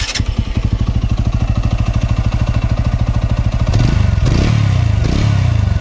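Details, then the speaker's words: TVS Apache motorcycle engine idling fully hot: a light, quick tick rides on the firing beat and rises with a throttle blip. The tick only starts once the engine is fully warm and is absent when cold; a valvetrain tick is likely. "जैसे देखिए अभी bike मेरी गर्म है, पूरी heat होने के बाद ये आवाज़ आनी शुरू होती है। जब बाइक ठंडी होती है तब ये आवाज़ नहीं आती।"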